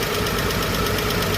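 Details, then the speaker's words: Chevrolet 235 Blue Flame sedan idling with the valve cover off after a lifter rebuild: fast, light ticking over a rough idle with a slight misfire. The exhaust note changes as one valve is adjusted; a single noisy valve or lifter is suspected. "So as he was adjusting that valve, I can hear the difference on the backside of the exhaust as it's opening it up more as it cycles through the. Because it had a little miss."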